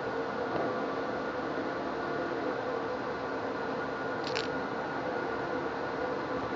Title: Pulley Box bearing problem